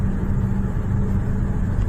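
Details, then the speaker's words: Trane air handling unit after fitting a new SPA 1400 V-belt, running on manual at about 10 amps, heard up close at the unit: steady low hum and whoosh of the blower, even level, no knocking or flutter, vibration not excessive; running normally. "अभी यूनिट के पास जाके उसका साउंड वगैरह चेक करते हैं, ठीक है, वाइब्रेशन ज़्यादा तो नहीं है। ठीक है दोस्तों, सही चल रहा है बिल्कुल यूनिट, आवाज़ ठीक है,"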